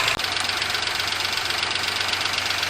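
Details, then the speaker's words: Daihatsu HiJet S83P mini truck, valves just adjusted, choke stuck closed, high idle: fast light ticking over a steady hissy idle. Owner says one valve sounds loud despite the adjustment. Valve tick. "Sounds like one of the valves are loud, but I adjusted them all."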